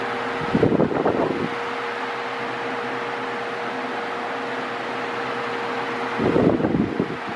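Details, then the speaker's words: Mondial Maxi Power V-40-B 40cm 140W fan oscillating: constant mid-pitched electrical hum under the airflow, louder than expected; owner finds the motor too noisy, especially on minimum, with reduced airflow; cause unknown. "está barulhento está barulhento o motor tá com você escuta o barulho do motor né então isso daí eu eu não achei legal a mínima dele tá barulhenta demais"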